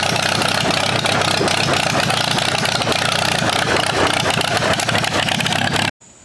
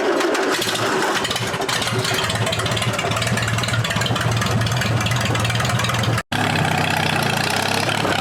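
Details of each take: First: 1947 Allis-Chalmers B tractor, sat eight years, after new spark plugs: loud, ragged, uneven running with no steady rhythm; still misfiring, owner suspects fuel starvation at the carburettor. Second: Allis-Chalmers B tractor, believed to be a 1947, revived after eight years with a new battery: cranks, catches and settles into a steady lumpy idle with no knock; starts normally, though it struggles under load, owner suspects fuel starvation at the carburetor.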